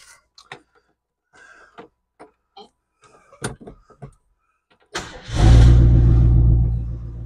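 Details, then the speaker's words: 1967 Ford Country Sedan wagon, sat 30 years, restarted after adding transmission fluid: a few clicks then fires right up into a deep, steady V8 rumble; gears still not engaging afterward, linkage suspected. "I just fired right up"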